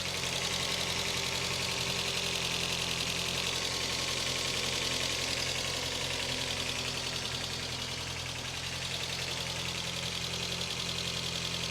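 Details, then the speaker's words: 1981 European VW Golf GTI Mk1, fully cold start after sitting 3-4 days, microphone at the front of the engine: steady cold idle with a light, even valve tick about 160 a minute over the belt whir; the valve train sounds healthy. "Okay, so all sounds good there."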